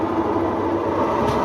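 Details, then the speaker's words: Newer-style Whirlpool/Maytag washer with F7 E1 basket speed fault, spinning after locked bearings were freed: loud steady rumbling roar like a freight train; worn tub bearings, requiring replacement of the entire transmission assembly on this model. "so I was able to free up the locked bearings but essentially the bearings are bad on here"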